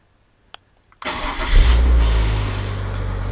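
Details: BMW E36 with broken ignition switch, hotwired to push-button start: short crank, engine catches at once and settles into steady, even idle; clean, healthy start.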